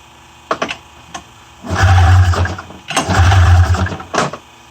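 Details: 1994 Polaris Indy 500 EFI snowmobile primed with fuel in the cylinders: a few cranking clicks then two one-second firing bursts that die away; catches on primed fuel but won't sustain, has spark, cause unconfirmed.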